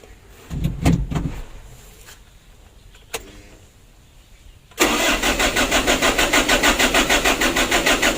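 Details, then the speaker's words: Mitsubishi Canter 125 PS Super Speed diesel truck, hard starting and sometimes stalling: short starter bursts without throttle fail, then fires with throttle into rough even knock; hard start without throttle. "Untuk hidupnya tidak mau ya kalau tidak digas, tapi kita coba dulu. Kita bantu gas."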